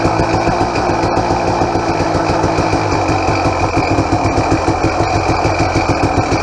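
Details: 2007 KTM XCW300 two-stroke on 50:1 premix, totally cold and on choke: a busy, uneven idle with a light metallic rattle over it. The power valve is louder than usual and was never rebuilt; owner suspects it needs a bushing.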